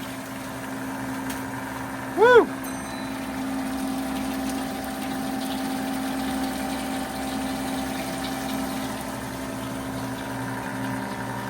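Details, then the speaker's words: 90-year-old rebuilt Gilbarco GMB 80 service station gas pump pumping diesel through a clamped brass nozzle. After a brief squeak at start, a steady low electric motor hum with an even tone; it runs smoothly and is fully operational. "she's running and she's pumping. She's fully operational. Now that's what you call getting pumped up for New Year's. She runs quite smoothly after 90 years."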